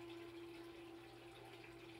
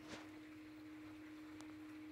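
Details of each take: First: 3/4 hp sump pump air-locked by air bubbles trapped underneath: steady mid-pitched motor hum with water gurgling; it runs but moves water slowly until the water's weight pushes the bubbles through, then speeds up somewhat. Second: Sump pump after foam was added so incoming water stops trapping air bubbles under it, and after turning it off briefly to clear an air lock: steady, even electric hum at constant pitch with no surging; pumping normally again.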